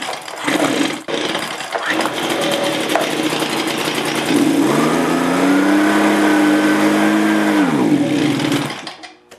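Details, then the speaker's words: Like-new Echo PB265L backpack leaf blower, hard to start and only runs on choke: a ragged start, then a rising whine that holds briefly and suddenly quits. Acceleration fault; owner suspects water in the fuel, and the carburetor was later replaced. "it will only run on the choke and then it'll rev up and then quit all of a sudden now because it's in like new condition what I suspect is that there could be water in the fuel"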